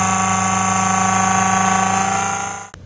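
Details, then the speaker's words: RV Progressive Dynamics PD4655 converter/charger pumping 50+ amps into the batteries, larger auxiliary cooling fan kicked in: loud steady whirring drone with a harsh raspy edge; a wire was brushing the fan, fixed afterward, now a gentle hum. "turned out there was a um wire brushing up against the fan so i fixed that so now all you hear is a gentle hum and the fans are turning but they're actually quite quiet fans"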